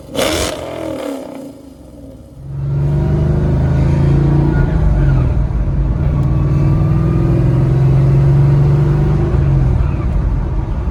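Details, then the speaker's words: Ford Mustang "Godzilla" 7.3L V8 at idle on second base tune, after first tune wouldn't start and stay running when warm; idle now smoother and throttle response better, more tuning pending; catches and settles into a deep, even burble with no misses. "but already the idle is smoother the throttle response is better but we still have more tuning to do to get the final revised tune"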